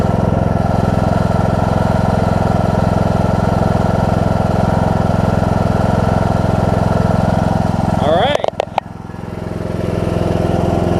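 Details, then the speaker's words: John Deere D105 riding mower, 62 hours, sat unused for an unknown time, started once fuel reached the fuel pump: single-cylinder engine idles steadily with an even, quick beat, no misses, knocks or hunting; normal idle. "That's all it took. That thing almost started right up. It just needed to get some fuel in the fuel pump. That's fantastic."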